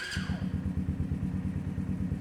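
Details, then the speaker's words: New Yamasaki YM50 RE 50cc single with Dell'Orto electronic carburation, five miles, first cold start of the day: starter whir then fast, slightly lumpy putter; normal cold idle, may cut out until warm, ready near 2000 rpm. "so that's the first time i've started it up today sometimes when you first start them up they will cut out if you just leave it you'll hear it it'll start to pick up"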